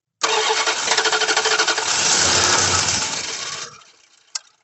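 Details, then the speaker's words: The 88 cranking during a fuel-delivery check; the starter spins the engine at about three even pulses a second for three seconds, but it never catches; no gas is seen coming out; crank, no start. "see gas coming out the other one nope so where are we getting gas from dude this thing's cranking"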